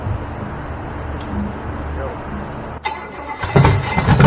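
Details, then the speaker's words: Chevy 327 small-block V8 on a homemade run stand, stored 15 years with fogging oil, first run after fixing starter, water pump leak and carb fuel feed: low even idle rumble, clean throttle blips, oil pressure 38–40 psi, 50 revved; normal V8 running. "Wow. That is a success. Dude, Sounds good. sounds really good."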